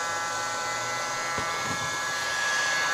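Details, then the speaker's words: Portable hot-air soldering blower after repairing the burnt IC: steady high airy whoosh with even whine, no wavering or rattle as motor is sped up; runs cleanly at full speed. "Saya percepat putaran dinamo. Ini seperti kalian dengar sendiri. Ini pelan sekali. Kencang, kencang, kencang, kencang ya. Ini saja sudah kencang ya kawan-kawan."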